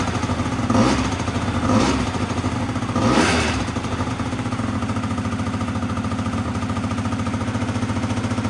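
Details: Honda Dio 100cc two-stroke scooter project, first start; a few sharp blips, then a fast, steady buzz, owner notes revs too high: high idle speed.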